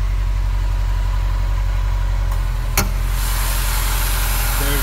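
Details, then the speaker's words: 2016 Subaru WRX with 36,000 original miles, idling: low, steady, even boxer rumble with no ticking, knocking or whine; quiet, normal idle. "Car is started and you can hear it. No weird noises, no weird sounds. It's very, very quiet."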